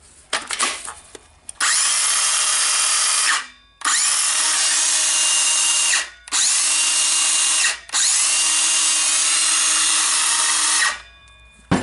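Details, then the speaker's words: Makita BSS501/DSS501 circular saw just fitted with new carbon brushes and brush holder: three bursts of even, high-pitched motor whine spinning up and coasting down cleanly; it spins, repair works. "Just checking if it spins. It spins, so now we can try to turn"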